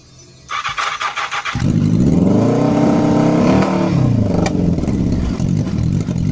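A brief crank, then the engine catches at once, revs up smoothly and settles into an even run, which is a healthy start.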